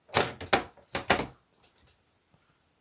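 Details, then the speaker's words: Sharp ES-85CL washing machine, spin-dry cycle with no load: four heavy hollow gluduk thumps in two pairs as the drum, not aligned with the top, knocks; suspected worn bottom seal or join liner, weak springs or softened rubber, unconfirmed. "ringnya ada gluduk gluduk gluduk walaupun tidak dibuat beban ya ini kita baikin nanti ya walaupun tidak ada beban suaranya selalu Betul dek duduk-duduk kita lihat ya emang sementara posisi ininya tidak menentu Ya maksudnya tidak simetris atau sejajar tabungnya tidak sejajar dengan atasnya"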